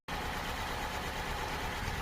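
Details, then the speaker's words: Chevy Cobalt SS idling after an engine replacement, with a slight misfire that the scanner places at fuel injector 3 (cylinder 3). The idle has an uneven, lumpy low-end beat from a cylinder not firing. "so it does have a slight misfire and it said it's in ignit uh fuel injector 3"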